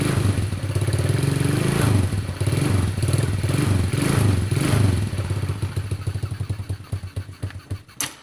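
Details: Motorcycle not started for a long time, after hot water poured on the cylinder head: low, uneven thumping single-cylinder engine runs several seconds, then beats slow and die away as it stops; normal running.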